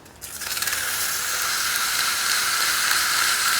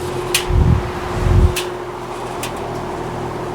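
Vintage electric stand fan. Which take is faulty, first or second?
second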